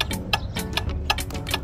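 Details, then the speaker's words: WPL C74 Suzuki Jimny RC truck with a newly installed RES V3 module and winch, on a fully charged battery. Sharp clicks repeat roughly every quarter second over a faint hum, as the RES V3 repeatedly cuts out; cause unknown. "I have no idea why it cut out but it cut out for the second time this battery is a fully charged battery that I have on there right now and for some OD reason the rese 3 keeps cutting out"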